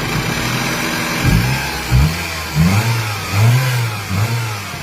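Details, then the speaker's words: 1997 Toyota Corona, automatic, petrol: several quick throttle blips, pitch rising and falling cleanly, no knocking between revs; no conrod or other engine noise, no white smoke; healthy engine revving. "เครื่องดีนะครับก้านชาร์ปไม่ดังนะครับดาวไม่ดังนะครับ"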